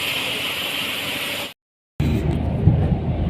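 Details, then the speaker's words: Hyundai Eon driving at 60 km/h in 4th gear after replacing a faulty spark plug that caused knocking, AC cut-out and loss of pickup; steady road and engine rumble, no knocking, misfire or loss of pull — normal running. "देखिए 60 का speed में चला रहे, पूरा सही से pickup वुकअप चल रहा है। पहले पिकअप छोड़ दे रहा था, पर अब पूरा सही है, कोई पिकअप वुकअप नहीं छोड़ रहा है।"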